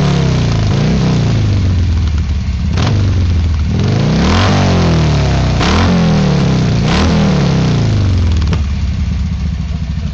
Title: harley backfire